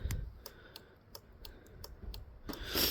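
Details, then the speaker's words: Universal hazard-light kit fitted to a Honda Varadero motorcycle with bulb indicators, ignition on, switch pressed: crisp, evenly spaced ticks about three per second as the flasher unit cycles; works perfectly, normal hazard flasher relay ticking. "On entend la centrale clignotante qui se met en route. Et donc là, ça fonctionne parfaitement."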